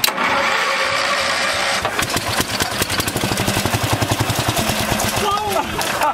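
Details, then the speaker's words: 1974 Power King tractor, single-cylinder, pulled from a farmer's field after sitting about three years, fresh out of the barn with a new air filter; starter grinds, it catches within two seconds and settles into a steady, even thump. Starts and runs normally. "there's your Power King [Laughter] the king lives again"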